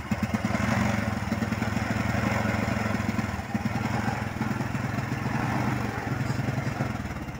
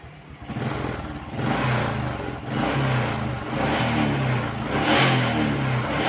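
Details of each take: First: Honda Supra X125 motorcycle with a spark plug fitted about 5 days ago: the small single chugs and stutters unevenly at low revs, stumbling and misfiring on throttle, hard to start and stalling; suspected rich running and flooding, spark plug to be checked. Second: Honda single, revved in repeated blips after the leaking fuel-tap vacuum line was fixed. It revs cleanly and settles without stumbling; the stutter and plug fouling were caused by fuel flowing through the vacuum hose.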